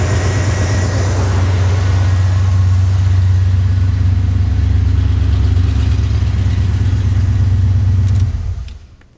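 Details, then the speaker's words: 1983 Jeep Wagoneer with a rebuilt AMC 360 V8 and Edelbrock Pro Flow 4 fuel injection, still in its 500-mile break-in. A deep, even burble with a smooth steady beat and no ticks or knocks, then a clean shutdown: a healthy idle. "We'll go for a little cruise here in a little bit, but it's running so nice. Let me start it up for you guys. Running very, very nice."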